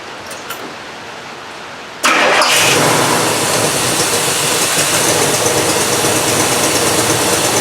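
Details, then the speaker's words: 1968 Cadillac DeVille convertible after carburetor and main ignition parts replacement: engine catches and settles into a loud, fairly even idle; starts well cold but when hot diesels and chokes down on restart, owner suspects timing. "but it needs a little bit of help when it's uh when it's hot and it'll it'll want a diesel and also when you try to restart it it'll choke down which makes me think that it's a it's the timing issue"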